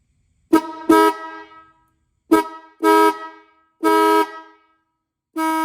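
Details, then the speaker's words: Restored 1950s–60s Ford Mustang dual horns, retest after fitting covers: short blasts give a single flat tone instead of a two-note chord, one horn dead; fixed by readjusting its adjusting nut. "Whoops. One of them's not working. One of them stopped working."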